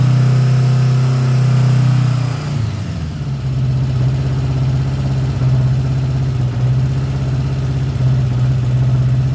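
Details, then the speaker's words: 1979 Honda GL1000 Goldwing, first start after a carburetor rebuild, without choke: low, lumpy, uneven idle after a blip, not firing cleanly. One side is smoking; owner suspects carbon buildup or bad seals fouling the plugs. "besides puffing a little bit too here we're going to burn all that off before we can get this thing running right"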